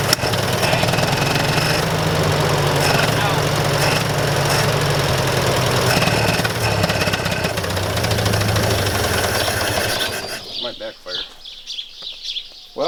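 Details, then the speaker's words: Massey Ferguson 65 tractor after carburetor work: engine chugs unevenly with a wavering beat for ten seconds, then stumbles and quits; ran five minutes earlier but carburetor is flooding out really bad. "well i made it that far a carburetor is a pain in the butt to keep running that engine and i didn't film it i had it running for five minutes but it's flooding out really bad"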